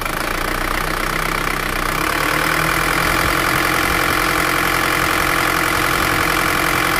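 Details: Isuzu Panther automatic diesel, 290,000 km, after replacing piston rings and valve seals, engine still cold: even, steady diesel clatter at idle, regular beat, no knocks or misses; normal cold idle.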